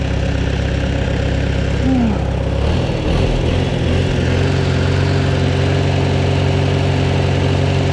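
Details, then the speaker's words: Farmall Super A antique tractor, timing untouched, one spark plug found loose and number 4 checked, being idled down: steady low, even four-cylinder beat settling into slow idle, no knocks or misses; normal idle. "Looks like that one spark plug there is loose too. Yeah. So we need to tighten that one up too. I only checked number 4 there, but she's still running good."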